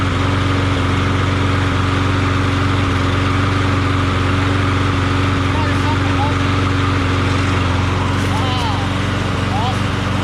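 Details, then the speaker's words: Craftsman push mower after its badly knocking Tecumseh 6.75 Vector engine was swapped for a Briggs Quantum engine: smooth, steady drone at constant speed with no knocking or misses. Normal running. "Now that's what I'm talking about. Now I feel good about it. Now this engine runs smooth and quiet and nice, you know."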